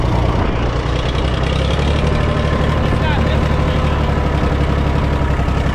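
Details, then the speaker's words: International 454 British three-cylinder diesel tractor that missed when first started, running in neutral with the air filter removed: steady, deep, even idle with every beat the same strength and no skips. Normal idle; a dirty air filter caused the miss. "but it ain't missing. Sounds pretty good, too. Let it idle down. Yeah, you can hear it's hitting on all three."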